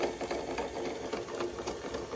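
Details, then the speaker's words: Car-shaped VHS cassette rewinder, after cleaning an oxidized lever that wasn't pressing properly, now spins with light even whirring and faint mechanical rattle; normal rewinder motor running. "அது clean பண்ணதுக்கு அப்புறம் இப்ப வந்து work ஆகுது இப்ப பாருங்க. Sound கேக்குது."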